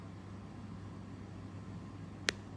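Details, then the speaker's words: Car audio: Android head unit switched off by key while the amplifier stays powered, cutting the signal; faint steady hiss then one sharp pop at switch-off, a power-sequencing timing fault, louder with higher amp volume. "有没有听到pop一声？听到讲听到，好不好？听不到的讲听不到，好不好？有没有听到？我关完机之后，它有一个pop声。"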